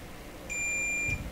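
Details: Deforest 10DA517 AM radio with all capacitors replaced and an unwanted oscillation squeal: while tracing ground connections, the continuity tester gives a single clean high beep of about half a second, confirming a closed connection to ground.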